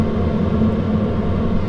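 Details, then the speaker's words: New H-Calory Toolbox 2S diesel heater at its high setting: fan and fuel pump ramp up as it warms and switches to auto ignition. Steady, even blower roar and low hum with no surging, sounding loud only because the mic is right on top of it. "And the fan and pump gradually increase as the temperature comes up and the combustion chamber switches over to auto ignition. And after a few short minutes, we're really cooking. Now, this sounds pretty loud in the video, but remember, I'm right on top of it here with the camera."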